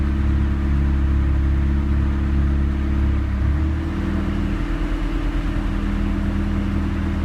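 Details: 1991 Honda Civic with a Matsushita AC compressor running normally, with a steady hum and no rapid ticking, after a wire getting reduced alternator power was connected directly to the battery, giving 14 V.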